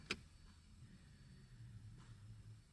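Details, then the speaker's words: 2008 Mercedes-Benz S550 with electronic parking brake malfunction, cable unhooked: sharp click, faint low electric motor hum about two seconds, final clunk heard under the vehicle as the parking brake actuator runs when pushed. "if I pull on it I hear nothing but again push yep made some noise so definitely this is commanding the entire mechanism"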